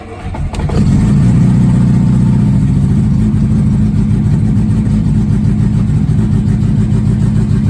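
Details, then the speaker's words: 1969 Mini Cooper S 1275 with Pertronix ignition, cold after sitting a couple months, choke pulled and electric fuel pump primed: quick catch, then fast even idle easing only slightly on choke; normal cold fast idle, tachometer no longer reading double. "I gotta pull the choke on get it to set right over there you'll hear a couple clicks of the electric fuel pump oh yeah fuel pressure and what we want to see is the rate RPM on the attack"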